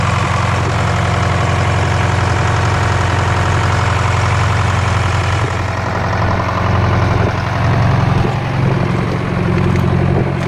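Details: Detroit Diesel 4-53TIB two-stroke diesel, rebuilt into Silver series, in a work truck, warm idle at the shop at about -7°C: steady, even, low smooth drone with no misses or knocks. Normal warm idle.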